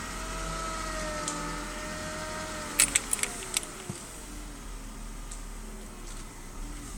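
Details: BMW E36 320i with a new MAPCO power steering pump, fluid changed several times: thin whine over the idle rising and falling in pitch as the wheel is turned; pump still whining.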